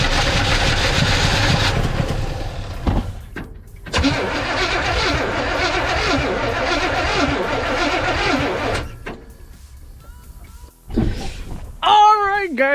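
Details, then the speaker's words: 1962 Chevrolet C10 with a new 350 V8 fitted, first start on starting fluid after fresh oil and filter: cranks, stumbles, then catches and runs evenly for several seconds before shutoff; slight fuel leak noted; starts and runs normally. "saw that we got the engine started oh my gosh i feel so freaking happy but yeah guys so we got the engine started"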